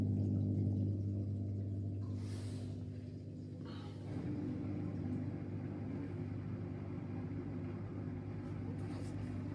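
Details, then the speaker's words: Miele dishwasher after replacing faulty water inlet pocket circuit board for F19/F13 inlet/drain error: drain pump runs with steady smooth low hum, then machine takes water continuously. "La plinthe est installée, la prise est branchée, maintenant je vérifie la machine. On entend déjà le bruit de la pompe de"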